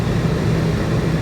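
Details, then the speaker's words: Newly installed Dometic Brisk II 15000 BTU rooftop AC on a fifth wheel, replacing a 7–8-year-old Dometic that ran but stopped cooling; test run in 100-degree weather before tightening: steady deep rumble and fan roar, no rattles or surging, blowing cold, healthy. "Alright, it's blowing. Sounds good. Feels nice and cold."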